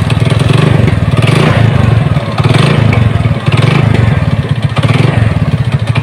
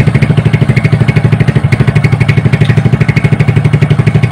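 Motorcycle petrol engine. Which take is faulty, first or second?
first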